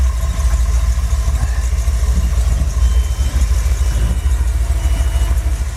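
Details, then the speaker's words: Engine fitted with a used Edelbrock 650 carburetor, choke not hooked up and air flap not adjusted, under hard throttle up a hill: a strong, even, smooth pull with no misses or stumbles and no rich smell; sounds healthy. "I don't smell richness or anything like that. So, sounds good, actually."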